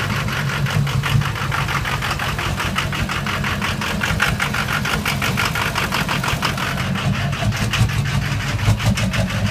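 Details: Engine running with an uneven, choppy beat and occasional skipped pulses under a low drone, a misfire; no black smoke, so owner suspects a bad injector, unconfirmed.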